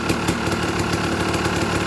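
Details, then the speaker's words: Dirt bike at idle during a pre-purchase inspection, choke on: a fast light rattle over the engine that stops when the clutch lever is pulled in. Normal clutch rattle, not the engine. "You hear it kind of rattling. That's the clutch making noise. That's not like the engine itself."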